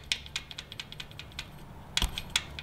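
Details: Jeep 3.6 L Pentastar, engine off: light irregular metallic clicks as the last rocker arm is shaken with almost no finger pressure, showing excess play compared with the other rockers; a collapsed lifter/broken rocker, the common Pentastar tick.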